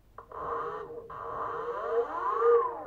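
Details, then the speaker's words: BLDC 6384 140kv motor on e-bike controller, forward-rotation color-matched phase wiring: clean smooth whine rising and falling evenly with speed, no grinding or stutter; quiet smooth normal run. "quiet and smooth"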